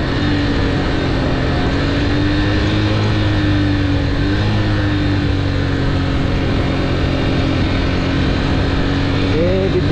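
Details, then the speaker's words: Motorcycle coasting downhill on engine braking with the clutch partly released because the brakes are failing, with a burning smell (brake pads suspected): a steady high whine over the engine drone that rises slightly then falls. The bike "cries" under the strain. "ইঞ্জিনের sound আপনারা নিশ্চয়ই শুনতে পাচ্ছেন কীরকম অবস্থা। এই যে ক্লাসটা অল্প করে ছাড়লে বাইকটা কান্না করে দেয়।"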